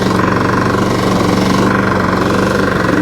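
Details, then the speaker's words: Small single running fast, valve adjustment didn't help and it kept smoking; hard, uneven knock about four times a second; engine knocking, deep internal cause unclear. "Oh, lordy. Oh, that's not so bad. Oh, that's not good."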